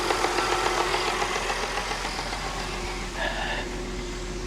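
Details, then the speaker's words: 2010 Audi Q5 Premium Plus, direct injection, timing chain, bought junked with check engine light and low oil pressure warning: steady idle with light even injector ticking three or four times a second, no knock; normal idle. "It sounds fine to me. I don't hear anything that I'd be worried about."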